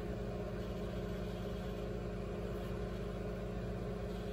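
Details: Microwave after cleaning the magnetron area and fitting a new waveguide cover: steady low hum with faint buzz, no crackling or popping; running normally with no arcing.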